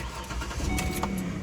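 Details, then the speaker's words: Ford Explorer 4.0 with replacement engine, three days after the swap: short crank catches immediately and settles into a steady even idle, no misses or knocks, no check engine light, no oil leaks. "Cranks and starts right up. And the best part is that we don't have a check engine light."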